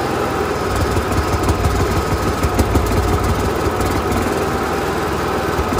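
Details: Onan Marquis Gold 5500 generator in a 2001 Fleetwood Bounder with heavy, even cranking at about three beats a second that never fires. It had been running only about 30 seconds before quitting. Priming and tapping the carb float were tried, and the owner suspects the carburetor.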